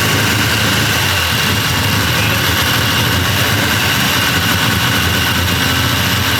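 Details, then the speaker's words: Six-cylinder engine first start after cam degreeing: steady, even idle with a dense exhaust roar and a high-pitched hiss, firing on all six and clearing up; seems to run rich, cause not confirmed. "well hell yeah it runs it sounds like it hits on all six too"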